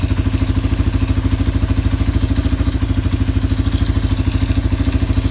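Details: Yamaha ATV single-cylinder engine idling after carburetor cleaning and about four float adjustments, clearing leftover WD-40, new air filter being fitted: steady, even putter at about 200 beats a minute, no knocks or misses. Healthy idle.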